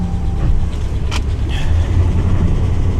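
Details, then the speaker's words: Suspected flood-damaged RAM 1500 at auction, slight engine ticking, dash cutting in and out, boost pack supplying over 12 volts: deep, uneven lumpy rumble; rough running, owner suspects water intrusion into modules or dead battery, not confirmed. "W she just doesn't sound the greatest though does she so either we've got some problems from water intrusion into the modules or we just have a really really really dead battery"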